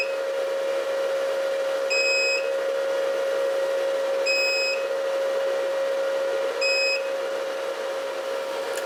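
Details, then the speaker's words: Antminer bitcoin miner, still warm at about 36°C and showing a power consumption of only about 40, with its red light on. A short high beep sounds about every 2.5 seconds over the fan hum because a connector is unplugged. It runs again once the connector is reconnected. "so in a little bit it's going to start beeping okay as you can see without the beeping sound the red light it means we don't have the connector here"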